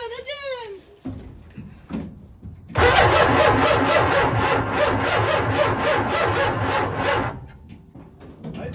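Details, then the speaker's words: 1967 Dodge A100 with a 440 in the bed, abandoned, ignition via ballast resistor: slow, uneven, labored cranking for several seconds without catching; battery dropped to about 8 V while cranking, low battery voltage. "crank so bad it dropped down to eight really crank here still 121 that's why it had two batteries"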